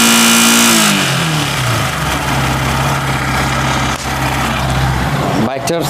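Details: Yamaha R15 V3 BS6 engine dropping from a rev to idle: light, quick ticking from the top end; valve clearance noise.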